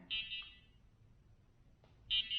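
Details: Shift Red drone indoors after removing and refitting the battery and restarting the controller; two short, shrill double chirps about two seconds apart over a quiet room, a repeating warning beep, with only one propeller spinning afterward and the fault unknown.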